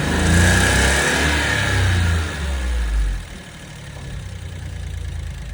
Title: JB64 エンジン異音 その後エンジン載せ替えに